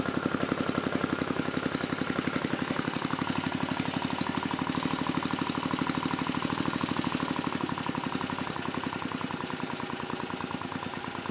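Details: Mid-1980s Troy-Bilt Junior tiller, 3 hp Tecumseh HS35 engine (H35-45593R), after carburetor cleaning; pilot needle tuned, idle lowered to about 1,000 RPM. Steady, even low idle with evenly spaced firing pulses, no misses or surging; normal idle.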